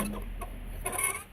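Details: 1998 GMC K1500 4x4 heater blower motor, loose, turned by hand during install: short chirpy squeaks from a dry, worn bearing. Old unit had jammed and seized, not turning even on full blast.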